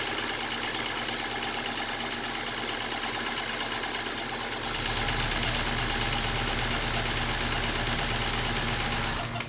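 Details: 2013 BMW 328i F30 N20 twin-turbo, 122k miles, blown head gasket repair, engine cold with coil off number three: uneven lumpy idle with stumble about three times a second; cylinder 3 misfire.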